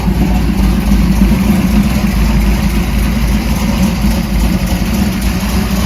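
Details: 1968 Dodge Dart drag car, stroker Mopar small block with solid roller cam, warming up after a cold start: deep steady V8 idle with slight lope, even firing, no knocks or ticks; healthy.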